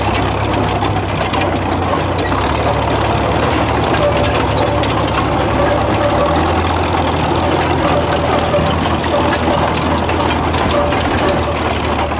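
Deep, steady diesel rumble at an even idle, loud and smooth throughout with no knock standing out; the old engine is running normally.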